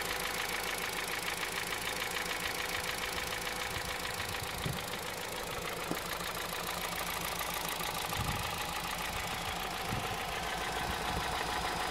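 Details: 2009 Honda Civic Hybrid 1.3 petrol engine at idle with a loose, uneven knock about three times a second; owner unsure whether timing chain, piston slap or bearings; engine knock at idle.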